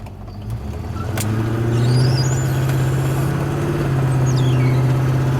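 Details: 1990 Range Rover County with a 3.9L V8, driving up hills on a long test drive: a low, steady drone rises over the engine and road noise and holds. Intermittent hum, source unconfirmed.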